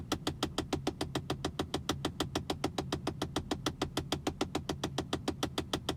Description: Tesla Model S Ticking Noise behind glove box